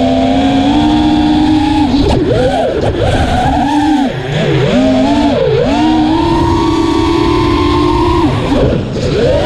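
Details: Armattan Rooster quad after a vibration fix: clean motor whine rising and dipping smoothly with throttle, with no rattle or shudder above mid throttle; motors sound healthy.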